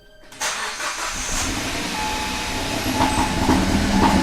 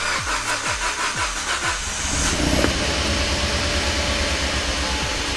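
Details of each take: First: Kia Pro Ceed GT with a long-standing cold-start misfire, started at 2 °C: idle shakes and stumbles with irregular missing beats, far worse than before, engine light flashing and rotten-egg smell; owner wonders if catalytic converter is the cause. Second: Kia Ceed GT (owner calls it "Pro Ceed GT") with a long-running cold-start misfire: with the coolant temperature sensor unplugged, the engine catches after brief cranking and ticks over evenly, no misfire, and still none once it is plugged back in. Owner suspects the coolant temperature circuit.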